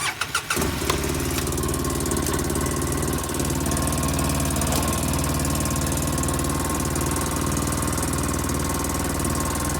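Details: 2005 Polaris Ranger XP 700 EFI, just started and not yet warmed up, catches and settles at a fast, steady idle that never drops; idle stuck high after cleaning the TBAP and throttle body, owner suspects the throttle cable was idled up.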